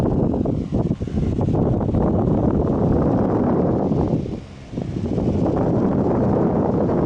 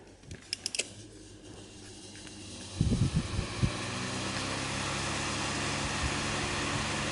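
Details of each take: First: 2003 Honeywell RE-300E all-metal chrome 12-inch desk fan on medium: steady low whoosh with no rattle or ticking, slightly off balance but smooth and powerful. Normal running. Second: 2003 Honeywell chrome 12" all-metal desk fan RE-300E, about 20 years old, on low speed: a few clicks, then a steady low drone with a faint buzzing rattle; an irritating vibration noise of unclear cause.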